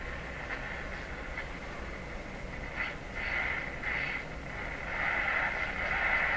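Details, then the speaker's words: Nordmende Turandot tube radio, volume full, using its own antenna with tone buttons disconnected: quiet hiss with faint muffled AM signal drifting in and out; finger picks up better than antenna, cause of weak output unresolved. "Surely to goodness I'm not a very good antenna, but apparently I'm better than this radio because its own antenna is weak compared to my finger."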